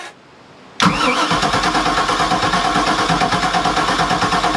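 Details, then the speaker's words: 1992 Sea Ray 380 Sun Sport starboard Mercruiser 7.4L MPI engine after replacing corroded ground cable: brief strong crank, catches immediately and settles into steady even idle; normal cranking and start. "guys i'm telling you right now that's pretty awesome because we're having troubles trying to get the starboard engine starter to work properly and well we got it going now heck yeah"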